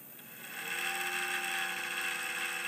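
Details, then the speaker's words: Cooler Master Elite Power supply in a file server, at switch-on: whirring whine climbs in and holds with a raspy edge; owner believes the power supply fan has quit, noisy failing fan. "There's something wrong with the power supply. I believe the fan has decided to quit on me."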